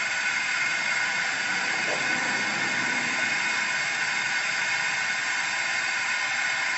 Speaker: you can hear everything's running very smoothly